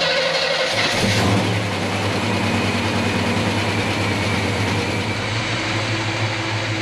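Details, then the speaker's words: Chevelle started after installing new transmission, about 1.5 to 2.5 gallons fluid added: cranks, catches within a second, settles into smooth, even idle with no knocks, ticks or whines; healthy normal start and idle. "But other than that, the engine sounds great. Not hearing any kind of weird noises. Things are looking good."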